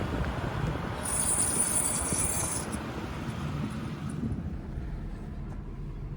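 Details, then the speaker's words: 2011 Chevrolet Impala 3.5L V6, 144,000 miles, brakes last done at about 70,000: piercing steady high-pitched squeal over road rumble while braking, quieting somewhat with harder braking; brake squeal, pads and rotors replaced. "the brakes are making some really horrible squeaking noise as you heard i'm going to show you what usually is causing that"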